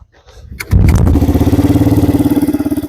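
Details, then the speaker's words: Yamaha 225DR after fuel tank check, petcock replacement and carb cleaning, started after tapping the float: catches almost instantly, settles into an even single-cylinder thump around 210 a minute, cold before warm-up; clean healthy start and idle. "yeah so now you can hear she's running all I have to do to get to run was uh tap the float like there we go"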